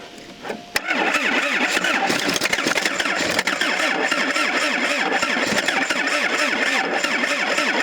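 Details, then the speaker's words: 1977 Toyota Celica GT liftback, parked about 20 years: after cranking on a jump pack and wiggling the battery cable, it fires into a ragged, uneven, stumbling run, suggesting misfiring; cause unconfirmed. "Hey, well, that kind of ran. Yeah, kinda. I mean, it at least started, so that's a plus."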